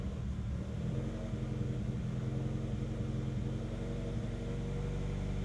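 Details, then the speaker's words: Honda CR-V after new fuel pump install, codes cleared, pressure gauge attached: engine starts and runs on its own but idles high with a steady low rumble, no hunting; still slightly off from misfire issue, fuel filter to be replaced next. High idle. "Okay, running on its own, running high."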